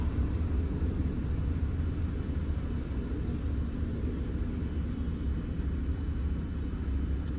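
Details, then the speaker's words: 2015 Toyota that would not crank or start on the key, with code P0705 and park not showing on the dash; after the faulty selector switch was fixed it starts and idles steadily with no knocks, misses or surges. "तो गाड़ी को start करते हैं सलर मारते हैं अल्हम्दुलिल्लाह गाड़ी भी जो है स्टार्ट हो गई है"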